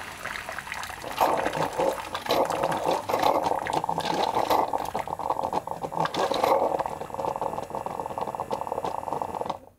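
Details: Keurig coffee maker after repair and modification, with the pump drive pulse width adjusted: a quick, strong, even pump hum with water rushing into the cup. Motor speed is much higher than before, and the pump is running normally.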